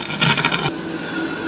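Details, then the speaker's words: Polytron PAS 79 active speaker main unit giving loud harsh crackle bursts over hiss that then settle, from one side only, the other side normal. Caused by a fatigued transistor; replacing it restored normal sound. "Oke, suaranya seperti suara berderak, dan sangat keras, speakernya benar-benar berderak."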